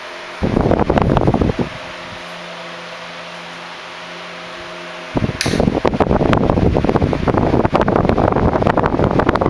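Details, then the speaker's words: 1976 Electrohome 30 cm (12-inch) desk fan, four clear blue pitched blades, on high speed: strong steady rush of air over a faint even motor hum, no rattle or scrape, healthy running. "the low speed is very slow and quiet but already blows a lot of air and then the medium and high speeds are insane very fast and very strong"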